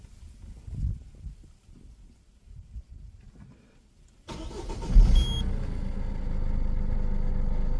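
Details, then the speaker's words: 1.6 HDi diesel restarted after all injector seals were replaced: a single quick crank catches and settles into a smooth, even idle, with no trace of the earlier whistle from a leaking, seized injector. "voilà elle redémarre sans problème"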